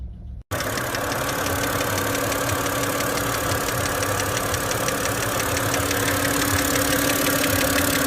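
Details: BMW engine at idle: sharp metallic ticking knock about three per second riding clearly over the idle. A knock from inside the engine.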